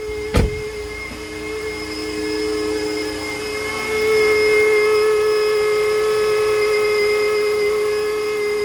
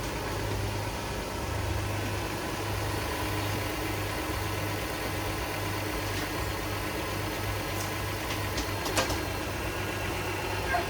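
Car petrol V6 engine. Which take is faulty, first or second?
first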